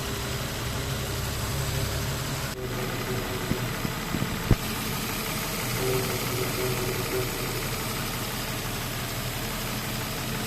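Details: 2005 Nissan Xterra 4.0-litre at idle: faint humming howl from the engine bay over the engine with a couple of light taps; source unknown.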